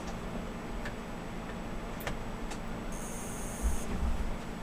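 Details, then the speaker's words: Older failing desktop hard drive, two large platters, pulled for SMART failures or bad sectors: faint irregular sharp ticks over a low hum as the motor cuts off and restarts during spin-up. "it not happy as you can hear it it cuts the motor off and starts back not happy"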